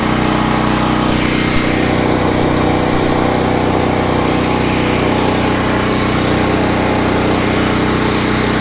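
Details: Westinghouse 7000 W generator, about 10 years old, converted to run on propane, running after its air filter cleaning. Loud, even drone at constant speed with no surging, knocking or misfire: healthy running.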